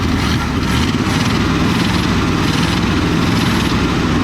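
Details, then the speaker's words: 1963 Ford Fairlane 500 with a 260 V8, first start in 14 years: a loud, lumpy idle with an uneven, stumbling beat, a hard miss; the carburetor is suspected and sticking, and a plug wire is also questioned; cause not confirmed. "Oh no, that sounds like a hard miss. I think it's in the carburetor."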